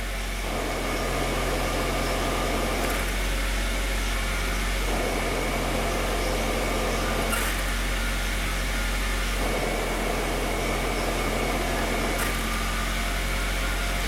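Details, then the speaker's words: 1996 Suzuki Sidekick Sport manual transmission, stationary, clutch released; harsh, rough whirring growl from the input shaft, noisy in all gears except fourth and howling at highway speed; input shaft bearing noise before transmission replacement. "This thing's been getting awful noisy even just at uh even just while I'm not moving. So you'll be able to hear it when I let out the clutch. You'll be able to hear the input shaft making an awful noise."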